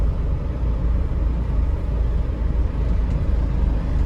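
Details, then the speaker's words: 2007 Toyota Innova, 284,000 km, with a heavy clutch. A deep droning rumble from body vibration comes when accelerating and pressing the clutch in gear. Mechanic suspects a failed star joint, not confirmed; body vibration and drone. "നല്ല സൗണ്ടും ഉണ്ട്. Sound എന്ന് പറഞ്ഞാൽ ഈ body vibration കൊണ്ട് വരുന്ന സൗണ്ടാണ്."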